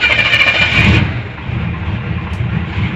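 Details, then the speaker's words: 454 big-block Chevy dually with a new Edelbrock 1411 750cfm carb, spacer removed to cure a vacuum leak and idle screw turned in: it starts with no gas and settles into a steady, even idle with no hiss, so the vacuum leak is fixed. "gave it no gas it started up it's now idling a little belcher i power wash the engine bay today along with the truck itself but uh it's idling awesome right now no hissing definitely was a vacuum leak there"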